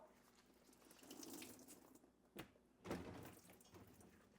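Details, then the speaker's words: GE dishwasher GDF620HGJ0BB after circulation pump replacement for not spraying water, normal cycle: steady sloshing and splashing with a couple of louder surges as spray arms spin freely and circulate water normally. "you can now sit back and relax and listen to the dulet tones of a dishwasher spinning their arms freely washing your dishes and making them sparkly clean"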